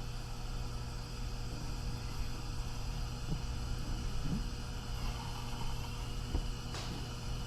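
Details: Steady even hiss with no sputter or surging from a 1960s–70s Hong Kong-made Ash Flash (Coleman clone) lantern pressurized to about 25 psi; burns normally and bright after the leaking valve jam nut was snugged, though the tip later seemed plugged and the tip cleaner did nothing.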